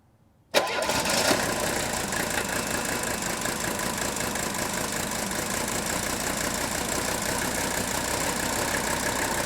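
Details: Old Mercedes diesel fired up cold after badly burnt pre-chamber trouble, air not yet bled from the fuel system: cranks, catches within a second and settles into an even, clattery idle with no misfires.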